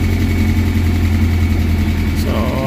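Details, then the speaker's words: Kia Pride engine revving high at start, before repair; loud knocking chatter over engine as stuck hydraulic lash adjusters in exhaust rocker arms, with no play, let the valvetrain tap. "grabi ang lakas ng makina guys kinabahan ako pagpa ko pa lang dahil biglang High RPM so ang lakas ng knocking so nakakatakot"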